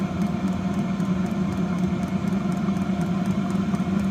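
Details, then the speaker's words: Vevor 8 kW diesel heater (newer four-button model), brand new on first start, run wide open to burn off residue: steady, even roar with constant low hum, no surging or popping; burning cleanly at full output, normal running. "She's running. I'm gonna let it run for hours just to burn off any crap that's in it, whatever."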